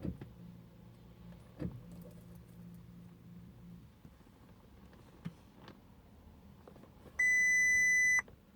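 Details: Audi A3 1.8 that won't start: quiet cabin with a few clicks, then one sustained high beep lasting about a second and no engine firing; no-start, cause unknown.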